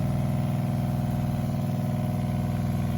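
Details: Water pump in a van after removing plastic debris, primed and running: steady low hum with an even pulse about four times a second, nothing rattling; much quieter, running normally.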